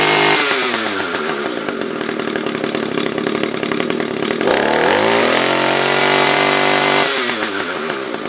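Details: SRM-210 trimmer after carb replacement with new filter, plug, fresh gas and handle: small two-stroke burbles at steady idle, climbs cleanly to a high buzzing rev and settles back smoothly; normal idle and revving.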